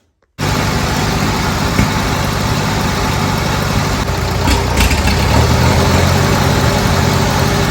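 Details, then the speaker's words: Old Bobcat 610 skid steer with a Wisconsin engine, after freeing a stuck exhaust valve and letting the gray silicone set: a steady, low, even idle with no misfire. It is running pretty good after idling a while. "I just fired it up, let it sit here and idle for a little while, and it was running pretty good and everything."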